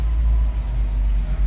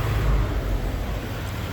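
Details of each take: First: GMC truck with big six engine, first start after sitting 8 years: deep, steady, even rumble with no knocks or misses; normal running. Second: Roughly 1960s–early 70s GMC C5000 big six, unrun 8 years, now drawing old rusty tank fuel after a loose fuel line was found: low, uneven, lumpy idle; struggling on contaminated fuel clogging the filter.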